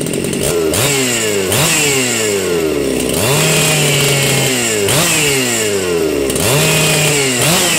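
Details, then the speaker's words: 272 chainsaw revving up and down after a cold start; a faint airy whine rides over the engine note, which is air moving through the transfer ports, normal for 272/372 saws and not a turbo whine. "Some of these saws, the 272s and the 372s, you'll hear a little whine in them. And I had people say, well, that sounds like a turbo whine. No, it's not. It's the air. What you're hearing is the air through the transfers."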